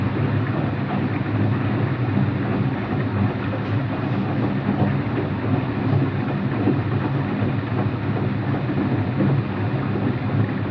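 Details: Empty washing machine on rinse and spin with no clothes; a steady deep roaring rumble runs throughout with no rhythm change. Owner suspects both the motor bearing and the drum bearing, unconfirmed, and saw no leak.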